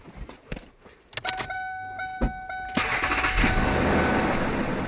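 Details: 1999 Ford F-150 XL, 215,000 miles, after new exhaust pieces (muffler, Y-pipe) were installed: a chime, then the engine cranks, catches and settles into a steady, even run with no exhaust puffing or ticking.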